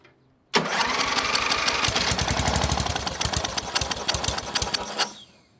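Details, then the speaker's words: MTD riding mower with a Briggs IC engine (model 28D707), about 27–30 years old, first start after nearly 20 years stored, carburetor not yet cleaned. It cranks briefly, catches fast and chugs evenly for about five seconds, then shuts off; a healthy start. "right that sounded really good considering it's been 20 years since this engine has fired up"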